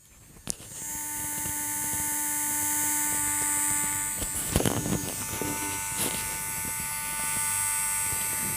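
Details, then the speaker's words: JGY 370 12V gear motor running at 12 V, about 6 rpm output, with a steady even brush buzz and no gear noise, only a couple of handling knocks; normal running. "तो यहां पर हम इस motor की आवाज सुन सकते हैं जो कि काफी कम है आई थिंक गियर्स के अंदर तो बिल्कुल भी कोई आवाज नहीं सिर्फ और सिर्फ यह मोटर का साउंड है"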